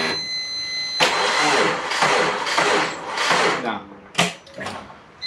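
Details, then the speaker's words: Twin turbo Subaru Forester, battery at 13 V, last attempt of the night: starter spins in uneven surges, engine grinds over repeatedly but never catches; cranks, no start. "then he jumps out of the car yeah it's not gonna happen tonight unfortunately"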